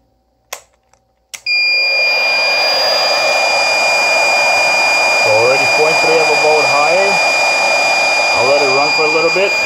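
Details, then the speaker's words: DIY portable generator of Nissan Leaf battery modules feeding a Reliable 1500 W inverter, running a hair dryer after fitting thicker input cables. Constant high-pitched squeal over the dryer's rush: low-voltage alarm as the pack sags to about 20.5 V under heavy load. "the voltage was dropping off significantly and the noise it starts making is so annoying at twenty point five volts it starts dipping down below that the noise started that it's making it's pretty crazy"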